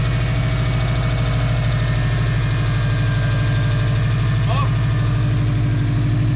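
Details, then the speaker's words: 2006 Subaru WRX, 92,000 miles, just started after battery terminal and plug work: steady low throb at idle, even firing, no misses or knocks; idles normally. "All right. Hell yeah. She still runs."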